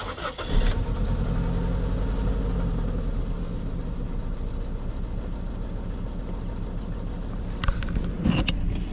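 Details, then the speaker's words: Car with a persistent misfire, first guess failed: lumpy, uneven idle that stumbles and shakes, with RPM fluctuating; no spark heard on one coil, a dead cylinder from a failed ignition coil pack, replaced with junkyard parts. "yeah if you can't see that maybe the rpms will give you an idea but real rough"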